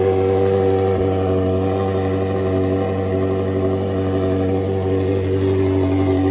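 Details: Ferrari 360 V8, first start after full engine rebuild, oil pressure pre-built by cranking with fuel pump relays disconnected: strong even rumble, steady note, no knocks or misses; healthy running.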